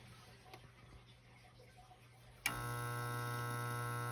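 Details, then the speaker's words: Beckett oil burner heating system, started with the power switch: a click, then a steady hum with no spin-up before it goes into lockout. The owner suspects a bad capacitor. "and it's humming not a whole lot happening you just hear it humming and it's gonna it's gonna go into lockout"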